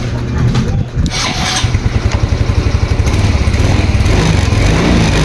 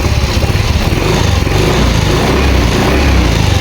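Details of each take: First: Yamaha Mio Soul i 125, new battery, 13.2 V key-on: starter drags engine over in slow, labored pulses about five seconds without firing; voltage drops to 11, sometimes 10–8 V, worst on early-morning first start. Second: Yamaha Mio Soul i 125 with a hard-starting problem, battery replaced: at 13.1 V the starter spins briskly, dropping to about 11 V, and the engine catches into a quick, even putter; normal cranking and start.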